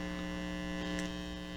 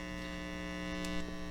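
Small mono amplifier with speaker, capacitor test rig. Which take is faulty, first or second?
first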